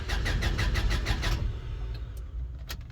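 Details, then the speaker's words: Honda Civic EK SOHC VTEC cranks evenly at about three beats a second but never catches. No fuel is reaching the engine or rail despite a new fuel pump, fuel pressure regulator and filter; owner suspects the pump or injectors. "So, we don't got fuel coming in or out. We're going to check the rail. Make sure it's dry."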